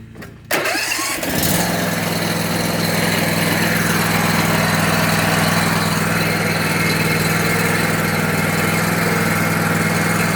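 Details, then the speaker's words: Bradley mower after replacing broken belt-tightening mechanism with original part (about an inch of play), started with blades engaged: quick catch after short crank, then even steady mid-pitched run; normal start and running. "And guys, if you know anything about lawn equipment, when I turn that on, you know how it's supposed to sound. And that's it."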